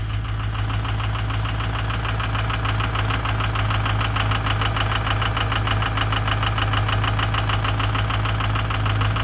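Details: Ford 6.0 diesel at idle: sharp, regular ticking knock roughly 200 a minute over a steady low rumble; suspected bad injector; engine knocking.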